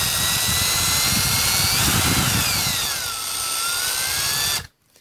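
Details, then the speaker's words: Circa-1995 Milwaukee 0435-1 12V cordless drill on a 14V M14 lithium battery through an adaptor, after the trigger and chuck were replaced and reassembled: the whine rises and falls smoothly with the trigger and stops cleanly, giving healthy variable speed. "So you should be able to hear the difference. It's a nice control on that."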